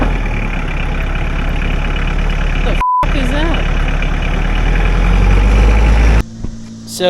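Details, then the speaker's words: Mahindra 4110 tractor driven 3–4 miles after head gasket repair from overheating, not yet at half temperature: steady, even low diesel rumble, short dropout; runs smoothly, no leaks: normal running. "Hasn't got up to halfway point yet, but so far she sounds good. I hadn't noticed any leaks or anything."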